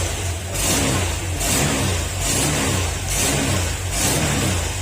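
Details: Brand-new Honda Click 125 V3 that had no pulling power, after fuel pump converted to Click 125 part: crisp throttle blips about once a second, rising cleanly and dropping to idle; engine pulls freely, sounds healthy.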